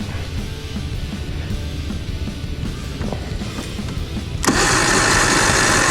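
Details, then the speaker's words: Circa 1989 Evinrude 150hp two-stroke outboard, hard-start complaint, after cleaning rusted battery terminals: sluggish labored cranking about four beats a second, better than before but still weak; repairer suspects solenoid needs replacing. "um it's better still weaker I kind of think feel like it's like got a solenoid you know issue probably needs a stronger solenoid"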